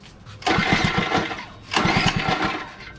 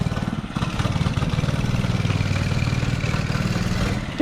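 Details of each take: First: she wants to start but she's just dirty once she's on fully it stays on i'll get back on she stays on for a second or two so we gotta take out the carburetor and clean it completely from the inside Second: Mini bike small single-cylinder engine just after the carburetor was cleaned, idling for about 10 seconds or more: steady, even thumping idle with no misses or knocks; engine running healthy.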